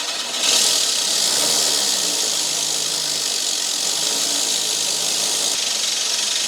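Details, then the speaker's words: Rolux reel mower backlapped with drill spinning reel backwards on 19 mm bolt and compound brushed on: loud steady gritty grinding as the paste hones the reel against the bed knife; normal, no grinding would mean gap too loose. "When you hear that grinding, it means that the paste is honing itself with the bed knife underneath."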